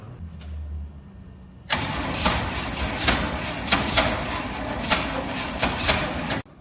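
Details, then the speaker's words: 1969 Chevy C/20 327 V8, first start attempt after 40 years, with new points, spark confirmed and gas poured down the carburetor: starter cranks at about four even beats a second for five seconds but never fires. Owner suspects the starter (click-click). "you hear that click click the funk funk probably a starter"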